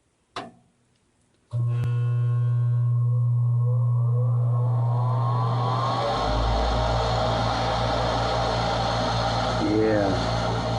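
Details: Furnace draft inducer motor just replaced after the old one squealed and failed to start despite a new capacitor: a short click, then a smooth, steady hum with no rubbing or rattle; new inducer running properly.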